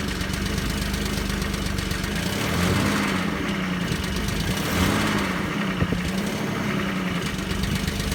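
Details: Audi V6 AAH engine, 1994, about 190,000 km, just after a cold start. Steady idle with a dull low drone and a faint irregular knocking, noise from the engine's lower end. Cause not yet identified.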